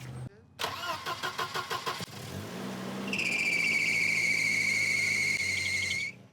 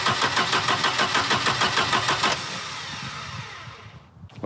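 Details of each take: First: Volvo 240 after timing belt replacement, warming up: it cranks, catches and settles into a steady, even idle, shut off and restarted the same, with no exhaust ticking or puffing; normal. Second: Volvo 240 after timing belt replacement: the starter spins briskly, about three compressions a second for two seconds, but never catches; the distributor cap points are worn, and the ignition module contact is faulty.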